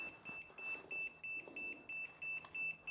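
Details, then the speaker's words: 1999 Yamaha R6 off the road for years: after smoke appeared, the reconnected jump booster pack shows a constant red light and beeps steadily about three per second. Fault warning; the cause is suspected, not confirmed. "it give me a constant red light and started beeping at"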